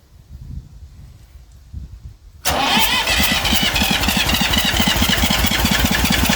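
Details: Massey Ferguson 35 diesel tractor, started with a little "goat juice." Has water leaks and a fuel leak; owner suspects injector copper sealing washers. Silence, then catches abruptly and settles into an even, brisk diesel chug: normal start and idle.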